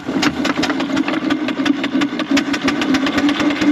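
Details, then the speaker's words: 4-inch Foster steam traction engine "Dolly", winter steam test after boiler retubing, working under load at only 55-60 lb pressure, regulator wide open; sharp, even chuffs about seven a second with a steady deep note; singles quite deep, normal exhaust beat. "only got 55 60 lb on so it make her work so she should sound quite good"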